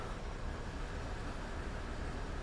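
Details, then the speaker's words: 1999 Toyota 4Runner with rough idle and check engine light: the engine idles in gear at about 750–800 rpm with A/C on and a noisy cooling fan, with an uneven, lumpy beat and shifter shake from a confirmed single-cylinder misfire. "I'm gonna go ahead and start it up and confirm that we have the misfire happening right now and then we'll go under the hood so you could probably see it a little bit in the shifter let me put it in gear"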